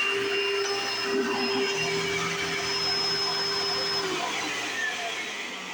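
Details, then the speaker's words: 1995 Hoover Encore Supreme U4261-930 upright vacuum, barely used, bought used in great condition: high steady motor whine with loud even brush roll hum; owner says brush roll sounds unexpectedly like a Singer vacuum; normal running. "well I want to say is the bush wall in this one sounds a lot like a an a late 90s early 2000s singer abysal abysal singer style vacuum which is really strange I expect to sound different"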